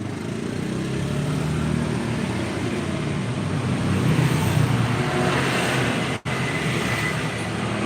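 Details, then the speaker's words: Bison motorcycle engine running rough: hard, loose knock about four a second; almost no oil, engine smoking, clutch housing first suspected; connecting rod knock from oil starvation. "Tapi yang yang jelas ini enggak ada oli sih. Olinya enggak ada. Ini stang secker kena."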